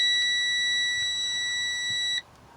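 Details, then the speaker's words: Air brake low-pressure warning test, engine off, electrical on, pumping brakes to drop pressure: loud steady high buzz for about two seconds, coming on at about 60 psi (spec 55–75 psi); low air pressure warning buzzer working. "so we're going to apply the brakes gently and fast until we hear the warning light come on in the buzzer there we go okay it came on about"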